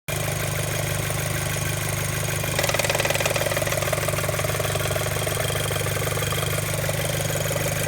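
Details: Audi A4 B7, warm idle, no fault codes: a loud, fast, even flapping tick, about three per second, over the engine; source not located, owner suspects a loose timing belt tensioner.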